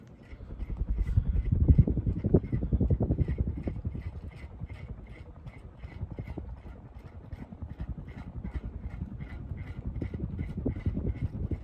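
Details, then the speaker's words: Early-1980s Magic Heat ceiling fan with Westinghouse motor (0.56 A, 66.7 W): soft regular knocks three to four per second over quiet motor hum; owner says it would be quiet without this vibration, cause unknown. "At least this thing uses a more proper motor, and if it wasn't for this vibration, it'd be quiet."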